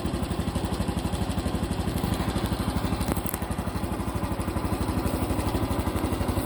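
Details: Honda Cub Pro small single-cylinder engine at steady fast idle after an oil change meant as a countermeasure, with a regular beat of about three pulses a second; abnormal engine noise persists, cause unknown.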